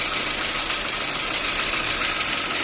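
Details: VAZ 2110 with hard cold-morning starts, idling on petrol not fully warm, clogged petrol injectors, generally runs badly; uneven hissy idle with unsteady beat, suspected vacuum leak and one weak cylinder, runs much better on gas (LPG).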